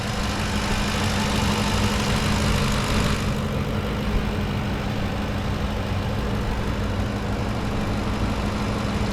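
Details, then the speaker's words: 2010 Ford F-150 5.4 V8 that the dealer said needed a new engine, first start, oil pressure good: steady even low idle rumble, no knocks or misses; healthy. "it actually sounds dang good"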